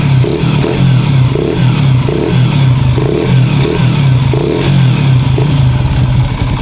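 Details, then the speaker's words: Raider 150 FI motorcycle at about 43,000 km after cam chain tensioner reset, revved: steady low hum with light pulsing about every half second, no sharp ticking; humming is normal after a reset, engine running normally. "Nga pala, sa mga nagre-reset ng tensioner, normal lang yung humming sounds mga kaibigan."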